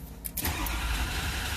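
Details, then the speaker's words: 2005 Ford Excursion 6.0 diesel, crank no start with code P2291 injector control pressure too low: even churning crank that never fires; desired ICP 1008 but only 400, battery voltage slightly weak. "so if you look we want a thousand and eight but we're only getting 400. the injector control pressure is 85"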